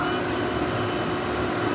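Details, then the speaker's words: Industrial resin dryer for a dual-shot injection molding machine running normally: steady loud rushing blower noise with a faint high whine. "let me turn on the dryer now so you can hear how kind of noisy it is"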